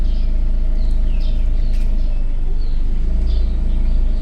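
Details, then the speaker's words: Chevrolet Cobalt after thermostat repair for overheating: steady even whoosh of cooling fan over low engine hum, no rattle or scraping; fan switched on at 97°C, temperature reached 98 then fell back to 95, fan working normally. "Ishladimi? 97 da ishladi. 98 bo'ldi."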